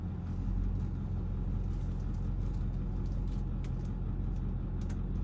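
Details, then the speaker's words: Vehicle with hydroboost brake booster, after partial power steering fluid flush and top-up, wheel held at full lock: low even engine rumble, earlier whine gone; steering pump now normal, fluid loss cause still unknown. "very good looks like it did the trick well that was a simple fix so that's it it just really needed to be topped off"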